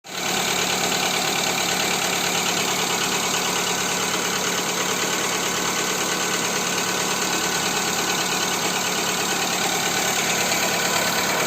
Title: Стук двигателя 1.4, Skoda Fabia 2 , Ч.2, после Ceratec